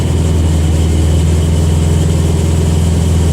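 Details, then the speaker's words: 1974 Chevy Vega after fuel system completion and tank leak repairs, first run on its own fuel with the electric fuel pump: deep, steady, even idle without stumbles or misses; engine running normally. "it's idling wow that's awesome finally finally it pays off we've got it running"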